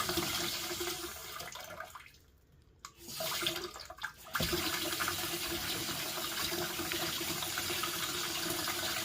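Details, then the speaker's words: Water rushing with a steady low tone as the loft cold water storage tank refills after hot or cold taps are run; noise continues until the float valve shuts, float (ball) valve suspected. "customer said when they turn the tab on cold or hot they can hear the noise somewhere in the Airing cover"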